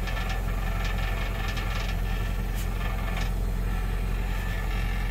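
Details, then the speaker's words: Nissan Titan idling: steady low engine drone with a light buzzing rattle from underneath. A loose fuel tank skid plate rattles, previously fixed by bending it away from contact. "yeah it's definitely coming from this side and i'd already thrown a something lay on down here you know i've had this issue before and what it is it's the skid plate on this gas tank as you see when i touch it you hear it rattling"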